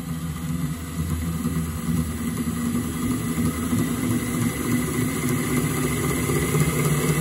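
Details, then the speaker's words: Miele Professional WS5073 sluice washing machine after replacing the 6202zz motor bearings: steady low drone and rising hum as the drum spins up, no grinding or rumble. "sounds great much better five pound job foreign it's definitely working"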